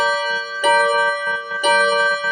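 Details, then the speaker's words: Seiko Japanese 30-day wall clock: clear ringing strikes about one a second, even in tone and decay, eight blows; the hour strike sounds normal and steady. "Nah, jadi pas, guys ya. Ini bunyinya itu 8, guys ya."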